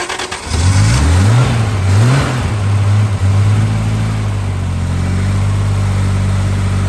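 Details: Triumph TR6 being primed with fuel to start. The starter cranks and the engine coughs, briefly surging a few times with rising pitch, then fails to catch. Nearly fires but won't run.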